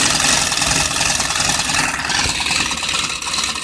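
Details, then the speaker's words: Sewing machine: quick, fairly even whirring tick with light buzzing motor tone; a little old but still works and can sew. "I mean, it still works. I can still sew with it."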